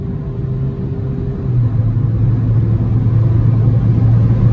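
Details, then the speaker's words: 2006 VW Jetta TDI 1.9L Pumpe Düse diesel after camshaft replacement for low power, pulling and building boost: deep, steady drone swelling smoothly under wind roar, no knocks or misses; normal running under load. "it's for sale now it's uh running damn near like it just rolled off the assembly line building boost no issues"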